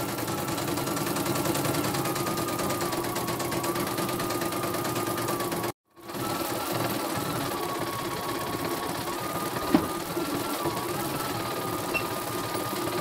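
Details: Embroidery machine repaired for a rough, growling run, after correcting an upside-down thread tension part. Steady, even stitching hum with constant pitch and no growl; thread does not break.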